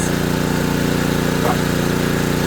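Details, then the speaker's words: Serviced ETQ3000 3000 W portable generator loaded with a 1500 W toaster oven: steady, even engine drone holding speed without hunting or surging, handling the load fine. Normal running under load. "Let's let it sit there for a minute. It's handling it just fine."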